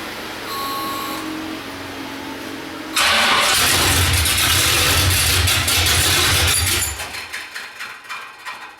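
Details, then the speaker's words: Olds Cutlass swapped engine with the coil fed directly from the battery, no antifreeze: it catches and runs rough, stumbling irregularly before dying down. It sounds like a cylinder is missing; plug wires are suspected, not confirmed. "so there's something firing right though still what i'm like it's missing still check those wires again"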